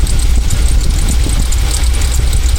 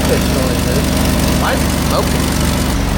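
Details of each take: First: 2000 Jeep Cherokee XJ, carb idle mixture screws set a half turn out from where the engine bogged and sputtered (rough tune): deep, steady even idle rumble, no stumbling; normal idle. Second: 2000 Jeep Cherokee XJ 4.0 at first start after intake manifold reassembly: rough idle with faint high-pitched chirp rising every second or so, squeal source unclear; check engine light returned with codes including O2 sensor heater circuit bank 1.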